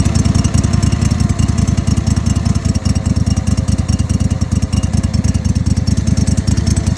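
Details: Kohler 25hp engine with lots of smoke, no start, and oil coming from the exhaust, after soaking in Sea Foam and carb cleaner. An uneven, stumbling single-cylinder chuff at about one beat per second that never settles; rough, barely running near start.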